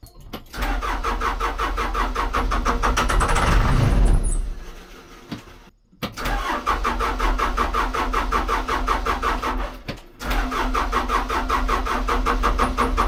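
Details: Case 580 L diesel backhoe that won't start despite repaired battery cables, cranked after priming the fuel line and before the fuel filter change. Even starter chugging, about three beats a second, in long bursts that never catch. Crank, no start.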